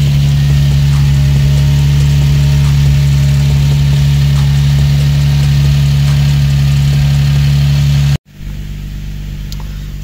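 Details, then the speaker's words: Infiniti G35/Nissan 350Z first startup after installing Exedy lightweight single-mass flywheel, stage one clutch, OEM pilot and throwout bearings, ARP bolts: deep, steady, even idle with no knocks, brief rev dip; runs normally. "This will be the first startup. Just hope she start. Starts up good, that's good."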